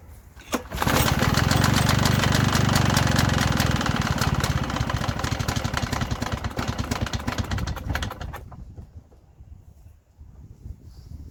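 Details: Victa Sunbeam lawnmower, circa mid-1970s, uncleaned, on existing fuel: pull-start catches and pops unevenly for several seconds, then fades and dies; fires but won't stay running, spark plug to be checked next.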